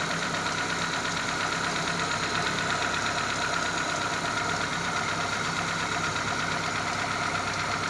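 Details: Daewoo Lanos 1.5 after brake caliper restoration and tightening of the timing and alternator belts: dense, even engine roar held at raised revs with no knocks or rattles, running smoothly.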